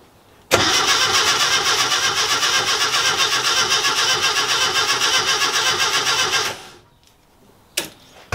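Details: Classic Mini at its first start-up after rewiring (coil and distributor connected, fuel added via the dashpot) cranks evenly, about four beats a second for six seconds, but never catches; spark is strong.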